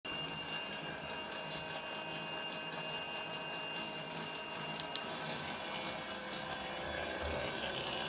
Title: Bafang BBS02 750W strange noises